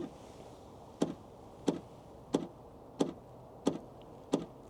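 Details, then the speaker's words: Tesla Model 3 won't charge: with the charger plugged in, short mechanical clunks repeat about every 0.65 s as the charge port latch motor cycles without locking; car displays "charge port latch not engaged". Cause unknown. "this is what I'm getting on my model 3 and it then comes on there and this is what it says on the charge board latch not engaged"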